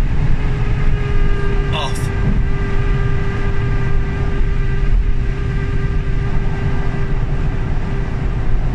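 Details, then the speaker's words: Three-week-old Tesla Model 3 Performance on the road: a loud steady high whine from the rear drive motor rises above road rumble on overrun, when lifting off the throttle after accelerating to 75 mph. Needs to go back for repair. "basically uh we've got a wine off the rear drive motor um and it's a horrific noise it's on the overrun or say on the overrun it's when you let off so if i accelerate up to 75 miles an hour and then let off the throttle it makes this noise"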